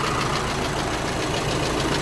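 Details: Volkswagen Amarok 2.0 diesel before engine rebuild, cylinder head previously redone: light regular knocking ticks in step with idle over steady rumble; worn connecting rod small-end bushing knock.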